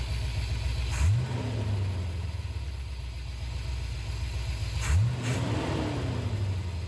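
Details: 1976 Corvette C3 V8 after a carburetor rebuild: a deep, even burble with two clean throttle blips that rise and settle smoothly; no leaks, and it runs really well. Normal running.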